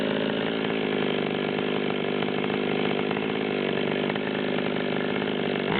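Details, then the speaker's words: Torque-tuned Stihl 020/200T chainsaw at full throttle around a 138 (hundred) rpm reading before cutting: screaming run with rough burbling instead of a clean wail; four-stroking, high-speed mixture too rich. "so you can hear this thing's blubbering really bad at the 138 number we'll make a cut or two then we'll get it tightened up and check it out"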